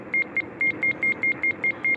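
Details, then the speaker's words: Ham radio in a RAV-4 mobile setup, tuning 20 meters: steady mid-pitched short and long beeps, roughly five per second, loud. This is the normal SWR-check tone; SWR is low. "Ooh. beeps loud. I hope I remember to turn that down in post."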